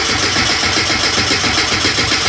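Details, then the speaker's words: Rover Mini on a freezing day, first run since September after new plugs and a new air filter, catches quickly and settles into a steady, even fast idle with no misses or knocks; known down pipe exhaust leak; normal cold start. "so we're going to let that tick over and warm up for a little while cuz I say this is the first time this has run since September"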